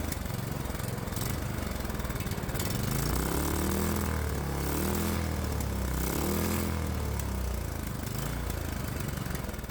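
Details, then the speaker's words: Predator 212 Hemi engine with a larger adjustable performance carburetor and stock exhaust, just started: rough, uneven running with speed hunting up and down, the carburetor way out of adjustment. "All right, it started right up, but it seems like we're way out of adjustment."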